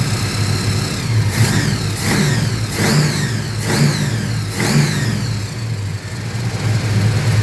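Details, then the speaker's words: Holden HQ with a small-block Chevy V8 after the carburetor was replaced for a misfire: steady, even idle with clean throttle blips that rise and settle smoothly; running rich at idle since covering the intake doesn't drop rpm; normal idle. "I know is running um nice and Rich at idle because if I cover the intake the engine RPM is not dropping"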